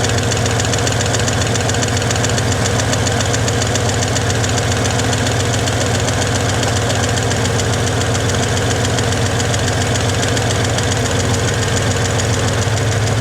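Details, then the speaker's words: 1961 Chevy Apache V8 with a rough, lumpy, rattly idle, timing just set to about 12°, not yet warmed up; owner suspects it's running out of gas, as little fuel is drawn through the fuel filter. Cause unconfirmed. "I need to let it run longer to run the temperature up, but I think I'm running out of gas. There's no real gas getting sucked into that fuel filter."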